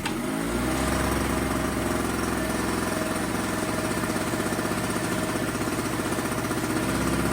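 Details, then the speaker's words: Small two-stroke tailgater generator, customer reported no-run; new spark plug fitted, air filter clean: steady, even buzz at constant speed under light load, no misses or surging; started right up and ran fine. "Huh, that started right up for me. I let it run for a bit and it ran fine."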